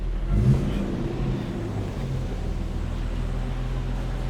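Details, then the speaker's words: Car after welding patches over a hole in the exhaust underneath; a low, even idle rumble with no hissing or puffing, now sealed and quiet, though a smaller leak remains in the middle section. "Yun, start na. So natapalan niya na ata. Tumahimik oh, nawala dito."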